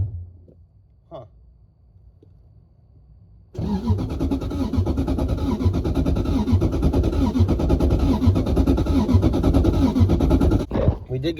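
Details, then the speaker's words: 1UZ-FE non-VVTi V8 swapped into an S14 240SX, in neutral with the fuel pump running. After a few quiet seconds it catches and runs rough for about seven seconds, then cuts out abruptly. It cranked better than before. Resistors and firing order were checked; each cylinder's firing is still to be tested. "I don't know, it's cranked better this time than it has before, but you can hear how it stops. Very weird."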